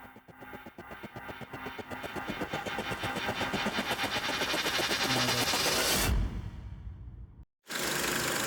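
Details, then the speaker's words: VW/Skoda/Audi 1.8/2.0 TSI at idle: quick regular ticking, about four per second, mistaken for camshaft noise but felt at the oil filler cap, not the cam cover. "So new issue, a very weird ticking noise which feels like a camshaft issue, but the problem is it's not actually a problem. The noise is coming from the oil cap, not from like the cam cover."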